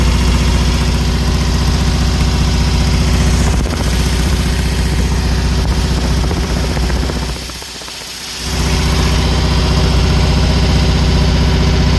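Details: Newly built 1680cc dual-port air-cooled engine during break-in, at idle: steady idle with a rough puffing exhaust beat from a big exhaust leak that can't be pinpointed.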